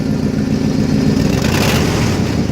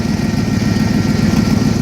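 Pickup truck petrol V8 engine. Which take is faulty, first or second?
second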